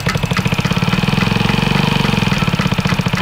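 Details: Honda Ruckus 50cc liquid-cooled four-stroke moped, previously seized and left outdoors, with some ports left open: small single putters at a quick, fairly even idle beat with no clear hiss; runs poorly, cause unconfirmed.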